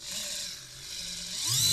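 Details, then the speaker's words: InMoov robot shoulder servo, modified, Arduino-driven, turned off center: thin high motor whine grows harsher and climbs in pitch as it labors; dry ungreased worm gear causing strain, grease being added. "just sounds like it's struggling a little bit though I think it's loose enough I think I'm gonna add a little bit of grease"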